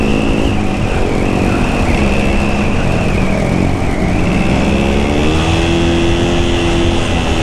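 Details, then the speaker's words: Scooter riding on a spare clutch left unused for a long time: engine revs climb and flare under load while road speed barely follows; the clutch is slipping. "Nah sekarang mengakibatkan kopling slip karena pakai kopling cadangan Yang Sudah lama tidak saya pakai ya gini selip Enggak karu-karuan ini"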